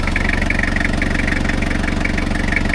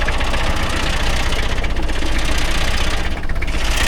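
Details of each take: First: 1990 Toyota Hilux 2.4 diesel after engine, gearbox and axle oil changes, briefly stumbled then re-primed its fuel: steady, even diesel clatter at idle with no stumbles or misses; normal idle. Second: 1990 Toyota Hilux 2.4 diesel restarted after service with battery disconnected and hand-primed fuel: uneven idle with irregular knocking and stumbling beats from air in the fuel, then re-primes and runs well.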